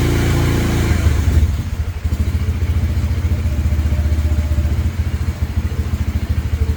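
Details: 2017 Polaris Ranger 570 EFI in rain, hard to crank the day before. Revs drop to an uneven, lumpy idle with irregular low thuds, cutting off around 1,200–1,250 rpm. Stalling at idle; fuel pump removal planned.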